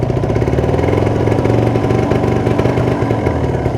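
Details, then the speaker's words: Warm 2013 Kawasaki Ninja 150 RR two-stroke, about 8 years old, idling steady around 1200 rpm without rise and fall: fast, even burble, no misses or knocks; owner allows the connecting rod may have slight play. "itu dan tanda-tanda motor sudah panas ke rpm nya stabil diatas 1000 itu sekitar 1206tg teratur ya sudah menaik itu temperatur yang sudah naik ya gan"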